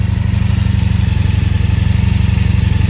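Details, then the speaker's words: 1983 Honda V45 Sabre VF750S V4 motorcycle, warm, idling steadily with an even low pulse and no knocks or misses after sitting outside with starter button contact trouble; a healthy normal idle. "she does sound good anybody want to buy"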